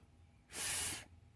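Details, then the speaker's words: Desoldering a pin: a short hissing sizzle as the iron meets the pin, showing it is hot enough to blow the solder out. "and you can hear the big light squealing from the heat you know at that point you've definitely got hot enough"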